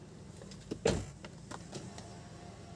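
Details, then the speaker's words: 2004 Toyota Avanza 1.3 G manual, front left power window: short smooth motor whir ending in a soft thud at the stop, no grinding or straining; window operates normally. "Untuk power window, oh iya power window sekalian ya. Ini bagian kiri normal, bagian kiri depan ya."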